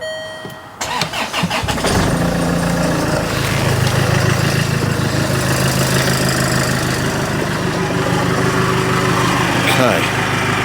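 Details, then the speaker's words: Land Rover Freelander 2 after rear silencer (back box) delete, with new tailpipe, stainless trim and silicone-sealed joints: cranks, catches quickly, steady even idle, no puffing or ticking, no exhaust blowing; normal idle, no leak. "Right, it all sounds good. I can't hear any sort of gas leaking out. You can always hear when an exhaust is blowing."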